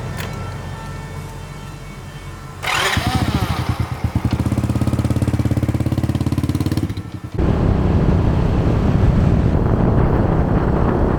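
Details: Farm truck with no power and no start, after fitting a new battery: even starter cranking about three and a half beats a second for four seconds, then catches and settles into a steady run; starts normally.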